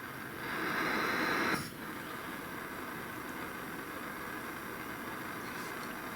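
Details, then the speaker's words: Hornby G100 live-steam Stephenson's Rocket gas burner, newly repaired and lit, then turned up slowly, giving a blue flame: soft, steady hissing roar with no sputtering or popping; normal burner roar. "now i hope you can perhaps hear a little bit of a roar"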